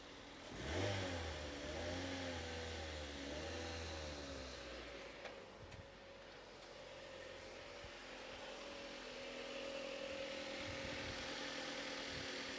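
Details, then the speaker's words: Mazda MX5 NC, newly arrived, first start: engine blips up smoothly and settles into a steady, even idle with no misses, knocks or smoke; sounds healthy. "this sounds way less agricultural than the the last one no smoke"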